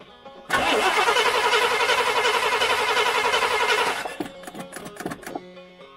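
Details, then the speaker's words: Rambler cranks steadily and rhythmically for about three seconds but never fires. Owner suspects the linkage isn't opening fully to work the accelerator pump, or that it may be out of gas after sitting over winter. "okay I think it's happening here is I think we're not for that puddle this thing isn't going open all the way like way back to there and that's what works the accelerator pump and they go gas down and there to give it to her"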